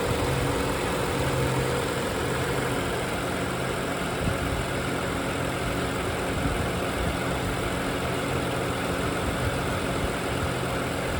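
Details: 2011 BMW 535i F10 N55, about 109,400 miles, at idle: smooth, even idle with fast, light, very loud direct-injection injector tick; no timing chain noise, engine healthy.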